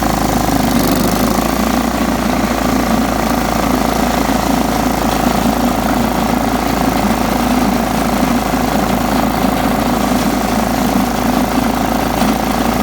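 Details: John Deere STX 38 riding mower, revived with a new battery and a little tweaking: steady, even engine note at constant speed, no misses, surging or knocks; normal running.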